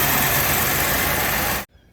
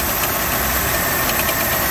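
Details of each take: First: 1988 Buick LeSabre 3800 V6 fuel-injected after harmonic balancer replacement: steady, even idle with no knocking before cut-off; the engine sounds healthy. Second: 1988 Buick LeSabre 3800 with a knock from the drive pulleys. Air compressor bypassed; tensioner, alternator, water pump and power steering pump ruled out. A dull, uneven knock at steady idle, blamed on the harmonic balancer.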